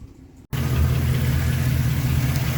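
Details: Work truck V8 just after installing all 8 new DENSO IT16 iridium spark plugs: starts and settles into deep steady idle, even rumble, no knocks or stumbles; normal idle.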